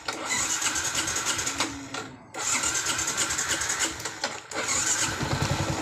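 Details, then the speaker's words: Yamaha Jupiter MX New, hard to start: small single revs unevenly and sags, hesitating on throttle and mid-range; ignition normal, cause a never-serviced dirty carburetor. "jika hidup dia agak grebet waktu tarik gas atau kadang buat jalan dia putaran Tengah agak ketahan ya teman-teman tidak langsung responsif"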